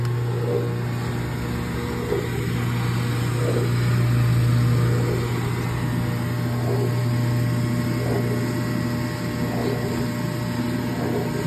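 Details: Speed Queen washer (AWN412SP111TW01) not spinning, clothes still wet after cycle: steady low motor hum with faint regular tick and no drum spin building; broken drive belt, replaced.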